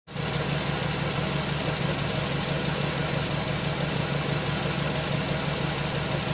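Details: Nissan Tiida idling with a misfire; low uneven pulse, the beat stumbling now and then instead of staying even.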